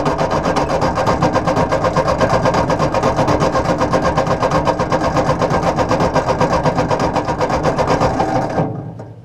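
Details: 1953/1954 Ford Golden Jubilee NAA tractor, sat over 20 years, 6-volt starter on 12 volts: even cranking about four beats a second for over eight seconds, never fires. Good spark and fuel at carburetor; owner suspects oil-wet plugs.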